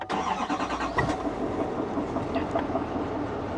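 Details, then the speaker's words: 2020 Chevrolet Duramax diesel, about 91,000 miles, check engine light on: cranks and catches, then settles to idle with a rhythmic knocking thud underneath; possible knock, not confirmed; engine knock on start-up. "that sounded like a knock that sounded like an engine knock hold on we got to check engine light on too"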